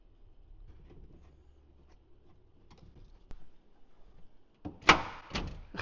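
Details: 2013 Ford F150 with 10-year-old RideTech air ride: electric door popper after a corroded connector was replaced and main power run to it. Solenoid thunk, latch release and door clunking open; working.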